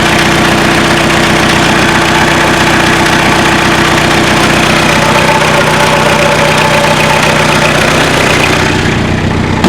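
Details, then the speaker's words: 1979 car, 1.5-liter diesel idling, hood open: even, rapid clatter with no misses or rhythm change; ordinary diesel noise, engine runs fine. "So, it has a 1.5 liter engine, and as you can hear, it's a diesel. Let me pop up the hood. Come on. There we go. A bit noisy, isn't it?"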